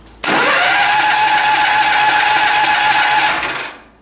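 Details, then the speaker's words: Powerfist 15 HP engine, cold start: cranks, catches, runs fast and steady about three seconds then dies; cooling fan air blows the vane open and releases the choke too early. "so what's happening there's the fans making up air and it's blowing that little vein open and it's taking the choke off too soon that's why i don't like this system"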